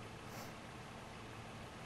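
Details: 2007 Toyota 4Runner with P0016 cam/crank timing code, at idle: quiet, even low idle hum with no knocks or misses; idling normally.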